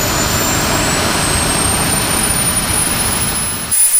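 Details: SWIWIN SW220B micro turbine on test stand: after deliberate fuel restriction shut it down, high whine climbs steadily on restart, then shifts sharply; relights cleanly, normal restart.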